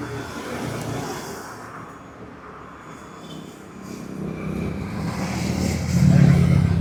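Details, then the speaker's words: Royal Enfield Himalayan fuel pump, stuck after the bike sat about six months, freed and bench-tested: low steady motor buzz that builds smoothly without rattles or stalling; the pump spins freely and works properly. "ഇത് കണ്ടോ ഇപ്പ ഇത് work ചെയ്യുന്നുണ്ട് കേട്ടോ ഇത് return ആണ് കേട്ടോ ഇത് കറങ്ങണ ശരിക്കും ഇങ്ങനെയാ വരണ്ട"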